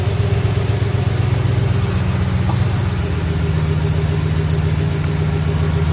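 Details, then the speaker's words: Truck engine idling after replacement of the idler pulley. Steady low idle hum with no whine or whistle; belt drive quiet. Normal idle, repair successful. "I'm not hearing no whistling. I really fixed a piece that was messed up in my engine."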